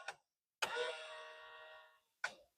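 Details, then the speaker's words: Nissan Silvia S15 right power mirror gives a click, a smooth even motor whir of about 1.5 seconds, then another click as it folds normally. The left mirror only makes a noise and is suspected to have a broken worm gear. "Next, I want to talk about the mirrors. As you can see, the one here on my right, it closes"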